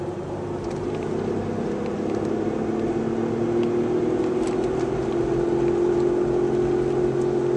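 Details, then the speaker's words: 1998 Chevrolet Malibu with two bad wheel bearings, driving: a steady droning hum rides over the road noise and rises in pitch with speed; the cause is suspected, not confirmed. "This was probably what bad wheel bearings sound like."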